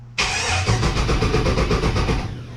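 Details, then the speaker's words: 1991 Chevy S10 with a 5.3 LS swap and 4L60E, testing a new neutral safety switch: no crank in reverse or drive, then in park the starter bites sharply and spins the engine in an even two-second chug with no grinding. Starter and switch work correctly. "well it should start the starter fire though so that's a plus"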